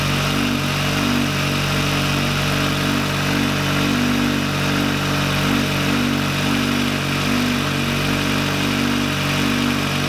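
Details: VW Lupo 1.8T turbo first restart after engine failure, rebuilt with H-beam conrods, new bearing shells and 2 mm thick head gasket: steady, even idle with smooth low hum, no knocks or ticks; runs cleanly and very well.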